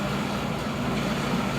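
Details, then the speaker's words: Rebuilt Ideal indent cylinder separator (grain/seed cleaner) with new bearings, chain, sprockets and drum idler wheels, test run about 3 hours; steady even hum, soft low rumble, no knocks or squeals; runs cool and quiet, normal. "We've test ran this unit for about 3 hours. Runs nice and cool, nice and quiet."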